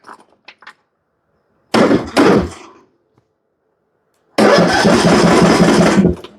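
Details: John Deere riding mower with Briggs & Stratton engine, no start: two bursts of steady cranking at about four turns a second without firing; it turns over but won't fire, later fixed by valve adjustment.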